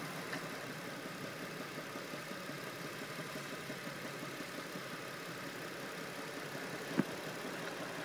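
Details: 2004 Infiniti G35 coupe, idling: a fast, rough ticking-knocking patter mixed into a steady hum. Cause unknown.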